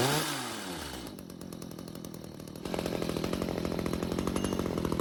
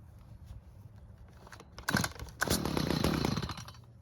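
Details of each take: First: Stihl two-stroke hedge trimmer stored with old fuel, after L screw turned out another quarter turn (half total) and idle speed raised; weak stumbling at first, then catches and holds a steady crisp buzz, revving cleanly. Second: Stihl two-stroke hedge trimmer stored with old fuel; after L screw turned out a quarter turn for more fuel it keeps running with an unsteady idle buzz, but flares harshly and dies when throttle squeezed; low-speed mixture too lean.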